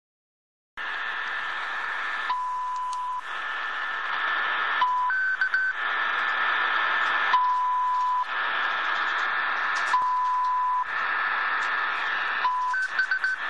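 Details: Shortwave reception in Berlin on a Degen DE1103 with DE31 active loop antenna, around 1500 UTC: hissy static broken by short steady beeps near one pitch every couple of seconds, audible on almost all bands; interference source unknown.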